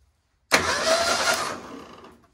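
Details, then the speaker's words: 1978 Ford Pinto cruising wagon, long-sitting: starter solenoid jumped with battery cable, bypassing ignition switch; strong whirr about 1.5 seconds winding down cleanly, engine spun briskly, starter healthy, so something else causes the no-turnover. "all right well that was beautiful so basically uh the start is great the owner did a great job obviously and it's a it's a really good starter"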